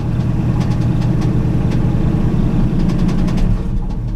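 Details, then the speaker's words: Classic Chevy C10, sat about five years, first run after revival, cold with no coolant, exhaust cut off; loud open-exhaust idle with uneven lumpy beat, noise from the bottom that owner thinks is the fuel pump: rough idle. "I'm gonna try to let her idle it's idling rough let's check it out yeah okay I do hear a noise something in the bottom in it sounds like fuel pump pumping"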